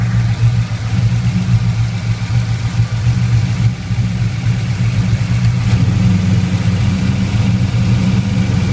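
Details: LS1 V8 with idle issues: deep idle with an uneven lope and wavering level, no clear knock or tick; rough idle, cause not evident.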